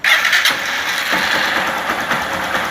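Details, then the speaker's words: Honda Fan 160 motorcycle starting and idling: light quick top-end ticking, normal for this engine because its rocker arms have small rollers leaving play; adjusting the valves to silence it would pinch a valve. "esse barulhinho É porque ela tem umas Rodin no balancinho mostrar aqui ó essa rodinha aqui ó"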